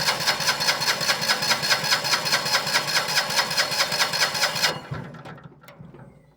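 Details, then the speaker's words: Winget mixer with a single-cylinder diesel, stood unused a couple of years, cranks over well at about 2.5 strokes per second but never fires. Cracking the injector line shows no diesel reaching the injector, so a sticking pump is suspected. Crank, no start. "Right. She's spinning over pretty well. So, the first thing I'm going to do, I'm going to crack off the injector line up here and just see if we get any diesel up to that injector."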